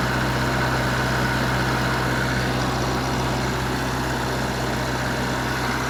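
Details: Wisconsin VG4D four-cylinder engine running on propane, driving a 15 kW Kohler 120/208 V three-phase alternator plus transformer, revived after auction: even steady low drone with regular beat, no misses or knocks; normal running.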